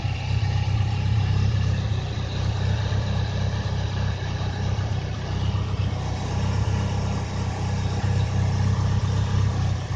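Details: Mitsubishi 4G63 turbo engine with a lumpy, uneven beat and a stumble repeating about four times a second; misfire of unknown cause.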